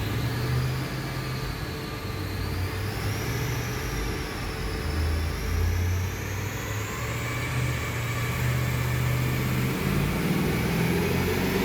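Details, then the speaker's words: VY ute with cammed LS1 V8 and T56 manual on the dyno, rev limiter raised to 6800: deep, strong roar held at high revs under full load, even clean exhaust, no misses; made 274 kW, healthy, owner holding back pending valve-spring check. "The car made 274 kilowatts. I'm very happy with it. There's probably a little bit more in it."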